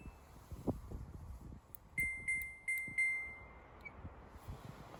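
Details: Samsung washer dryer with a dE error: the program won't start and the door lock doesn't lock; four sharp high beeps about a third of a second apart, then a faint fifth, signal the door lock error.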